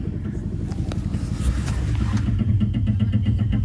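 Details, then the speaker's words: 2004 Subaru WRX with the key removed: the fuel pump drones and the main and fuel pump relays click about four times a second. The temperature gauge pegs hot and the car won't start. The cause was a loose ground. "The key is out and sounds like the fuel pump's going crazy."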